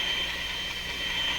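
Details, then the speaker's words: Minerva W119 six-tube radio after paper capacitor replacement: a steady high squeal near 3 kHz over hiss that doesn't change with tuning, so it is not a heterodyne whistle. "it's not a heterodyne through there. It sounds the same otherwise."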